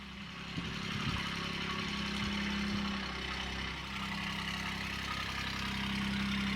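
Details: Kubota D722 diesel swapped into a Saturn SC1 coupe on custom mounts, first start, engine still cold on gauge: steady, even idle with constant low hum, no knocks or misses; normal diesel idle.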